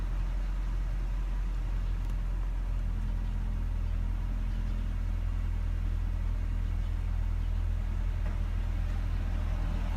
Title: 2007 Nissan Altima Rough Idle at cold start